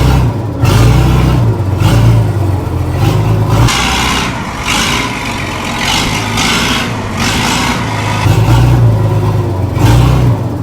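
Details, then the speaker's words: Six-cylinder diesel Weatherill loading shovel restarted after 18 years standing, on a zip-tied hand throttle after freeing a valve and linkage: heavy rumble revving up and down, firing evenly on all six. "listen to that now running on all six is a enough that is mad"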